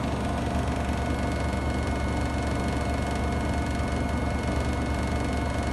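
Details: Samsung WW75TA046TE/SP washing machine, a same-model replacement on its sixth day of use. A loud, steady low rumble with uneven rapid thumping, about three beats a second. The noise grows louder each wash, and the cause is unknown.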